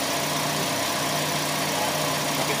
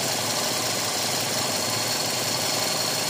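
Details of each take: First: Toyota Vios Gen 4 at idle with the AC compressor engaged. A steady, even hum with a smooth compressor whir and no repeated clicking; the cold air is holding well, and it runs normally. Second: Toyota Vios Gen 4 AC compressor: quiet when disengaged, but on clutch engagement a louder rough whir joins the idle hum. Roughness inside the compressor points to a worn internal bearing; needs a new compressor, system flushing and a new dryer.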